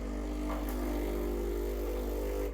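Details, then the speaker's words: Breville Barista Express BES870 switched on after descaling and a cleaning cycle: steady, even buzzing hum as the pump builds pressure, then a clean cut-off; normal pump start-up. "So that's how it sounds when you turn it on."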